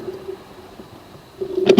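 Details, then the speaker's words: Ford Econoline that ran, died and won't start; key on: faint steady buzz for about two seconds as fuel pump primes, audible; cranks but won't start. "I don't know if you could hear that buzzing sound, but that's the fuel pump. So I was like, okay, I could hear the fuel pump."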